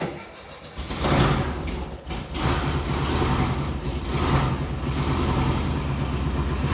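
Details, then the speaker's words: 1974 VW Bus air-cooled engine awaiting tune-up: turns over, catches, settles into a low steady chug; idles great but won't rev out, falling on its face above quarter throttle, distributor suspected. "Um, it idles great. It It'll do slight revs, but it just falls on its face."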